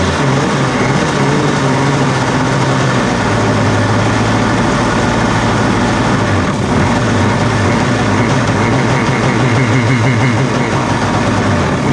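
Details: 1993 Yamaha WaveRunner 650LX two-stroke, revived after a seized engine and a new carb, on new mixed gas with the fuel valve turned on: settles into a steady idle with a couple of throttle blips, revving cleanly without misfiring.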